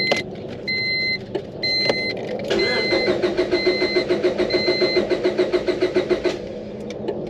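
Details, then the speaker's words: 2002 Honda Civic B16 DOHC VTEC 5-speed, unrun over 10 years, after water pump job, fresh oil, new plugs and battery: warning chimes then steady cranking about 3.5 beats/s, never catches; no fuel delivery. "Seems like we're not getting any fuel."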